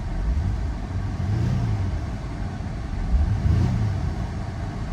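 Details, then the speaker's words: Auction car at a Copart yard on a hot day (about 80°F), no check engine light: a free rev with two quick blips climbs cleanly and settles without stumble or knock; feels smooth revving, normal. "I feel smooth revving it up."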